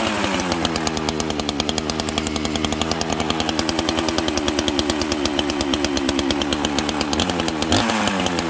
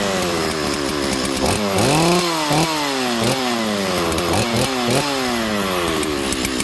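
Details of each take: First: 1985 two-stroke chainsaw with a governed carb, strong compression, pulls a 3-ft bar: runs at a high crisp even buzz with no misfire or sag; healthy running saw. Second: Chainsaw, unused for about a year, started and blipped: revs rise and fall unevenly, burbling and sagging instead of screaming cleanly; running rich, cause unknown, owner considers a new carburetor.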